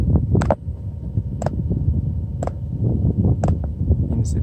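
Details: FJ Cruiser roof-top-tent diesel heater just started: sharp single clicks about once a second over a low fan rumble, the fuel dosing pump ticking normally.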